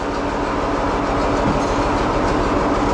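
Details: Antique diesel tractor cold start: even churning at about three turns a second with a steady drone but it never catches, because the fuel had been left shut off.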